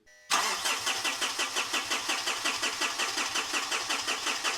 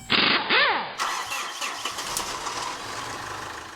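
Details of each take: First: A 2013 Mitsubishi Fuso FG 4P10 diesel truck cranks steadily at about three compressions a second for five seconds with no sign of firing. Codes and wiring were checked and the cause is still unresolved. Cranks but will not start. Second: 2013 Mitsubishi Fuso FG (4P10) diesel: starter whirs briefly, engine catches cleanly and settles into a smooth, even idle.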